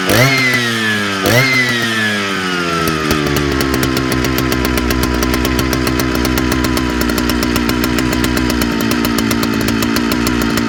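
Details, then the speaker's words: Big Jonsereds chainsaw screaming at high revs, pitch wavering and dipping, hit or miss; owner suspects fuel line or seals (carb kit) needed; engine surging. "probably wouldn't hurt to check into the fuel line Corp kit and put some new seals in this monster because it's uh it's you can kind of hear coming in and out is hit or miss"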